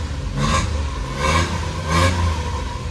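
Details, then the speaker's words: 1993 Suzuki Carry mini truck on a cold start, before the exhaust replacement: high cold idle, and three throttle blips each give a loud raspy roar that falls back to a lumpy idle. The straight-through muffler barely quiets it, so the exhaust is very loud. "as you can hear it sounds pretty terrible straight muffler gonna see it right in there pretty bad it's kind of high idling right now because it's pretty cold where I'm at"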